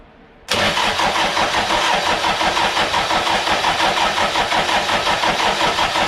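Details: Toyota 1KZ diesel in a YN65 Hilux conversion, rebuilt starter with new brushes: a click, then even cranking about three beats a second; engine never catches, cranks, no start.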